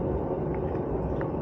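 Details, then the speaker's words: Indespension trailer wheel jacked up on an axle stand, spun freely: steady low, gravelly rumble from the wheel bearings, long past their best; worn bearings that need replacing. "That rumbling is a sure sign that your wheel bearings have had it. They're long past their best, so they definitely need replacing."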